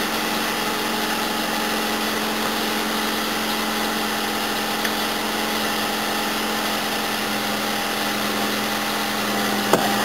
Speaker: ah it's just running just the same I've let it sit here for I don't know 10 minutes sidling and revving it hasn't fed but I'm pretty sure it sounds like it's got a lot more gut than it had before